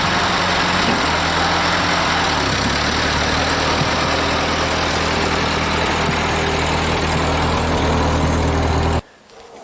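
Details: Ford 8N tractor petrol engine started for the first time after sitting, following a new battery and carburetor cleaner: it runs at a steady, even rhythm and pulls smoothly without stumbling.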